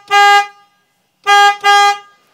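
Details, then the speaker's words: 2003 Honda Element, old horn sounded like a goose, replaced with FIAMM low-tone Freeway Blaster, hood and bumper still open: three short loud toots, clear steady pitch, no rasp; quieter than hoped but strong. "it wasn't as loud as I hoped it would be but it's still much better than the goose sound so here is the new Sehorne"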